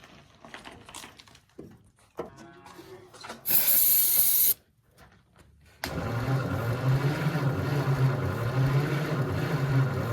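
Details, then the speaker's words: 1948 Ford F4 petrol engine, not started in 20 years, cranking on the starter about three per second with one sharp pop and weak catches, backfiring through the carburetor; won't run, stuck intake valve suspected. "backfired a little bit. Yeah, it must have a stuck intake valve. We'll keep cranking a little bit though."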